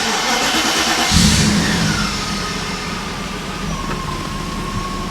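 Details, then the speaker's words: 1994 Mercedes E500 V8 after fitting new spark plugs (old ones worn), before the distributor cap and rotor: fires first turn, blips and settles to a steady, smooth beat. "Oh yeah. Smooth as ever. Beautiful."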